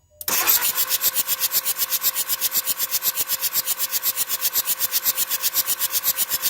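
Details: 2004 Jetta TDI diesel, cold morning no-start unless WD-40 is used; starter churns in fast, even pulses for several seconds without firing: hard cold start with extended cranking.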